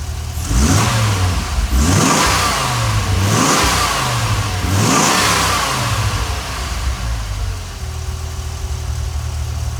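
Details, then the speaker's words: Ford 5.4L 3-valve V8 after rebuild; before it ran so violently the engine rocked: three clean blips rising and falling smoothly, then steady even idle with no shake or misfire; now steady and smooth. "before it would run and violently, I mean just sit there, the engine would rock. Now it sits steady and smooth,"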